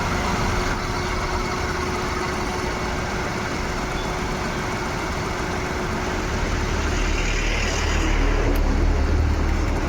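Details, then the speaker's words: Maruti Suzuki WagonR idling with AC on, switched from petrol (no misfire) to CNG mode: rough, uneven misfiring pulse with check engine light on; CNG system fault suspected, scan pending. "गाड़ी CNG पे चली गई और यह missing करने लगी आप लोग देख सकते हो गाड़ी मिस फायर है"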